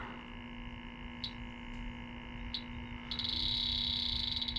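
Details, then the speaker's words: Aluminum evaporator coil with zero pressure after the Schrader core was removed: an electronic leak detector gives isolated high chirps, then rapid continuous beeping at about four per second at the U-bend. The refrigerant leak is found despite no pressure. "if you can see I backed the straighter core out on top of everything to release all the pressure in this thing and it's still we'll pick up that leak with no pressure behind it so that just gives you an idea of how well the x10 works"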